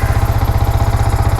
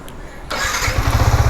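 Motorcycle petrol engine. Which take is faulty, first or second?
second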